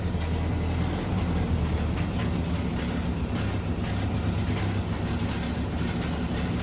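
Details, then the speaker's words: 1930 Ford Model A barn find after swapping in a used spare motor and radiator, started with the choke: low, steady four-cylinder chug with an even beat and no knocks or rattles; running cleanly. "Well, we replaced the motor, got it installed, put the radiator in. Let's fire it up and see what we can do here."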